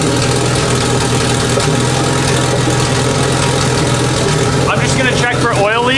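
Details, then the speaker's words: Big-turbo Honda Civic on jack stands, first run after reinstalling turbo and freshly painted exhaust: steady even idle, smooth low drone, no ticks, puffs or rasps from the manifold; sounds healthy. "while I still have it up on the jack stands I'm going to look under it it sounds good though sounds healthy so far"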